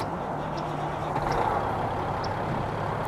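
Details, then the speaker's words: Big truck cold start after sitting a few hours, mid airbag work, with a cracked hood: it settles straight into a steady, even low rumble with no misses or knocks; healthy running. "actually this truck starting up. And she sounds real good. That was actually a cold start."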